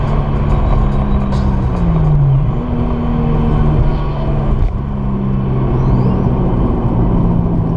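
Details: Toyota JZX100 with 1JZ engine driving laps on the C1 after earlier misfire issues had stopped: even, steady engine note that dips on a shift and then pulls cleanly with no stumbles; running normally.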